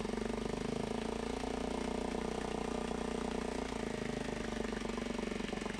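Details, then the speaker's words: Mariner 3.5 HP four-stroke outboard after oil, gear oil, spark plug and impeller service, on homemade test stand in a water bucket, idling in neutral: quiet even putter, no misses or rattles, water flowing, running perfectly. "Molt bé, fantàstic. Ja veiem que té bastanta aigua. I ja està llest per la sessió. D'acord? Funcionant perfectament."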